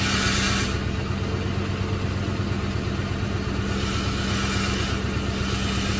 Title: Rattling noise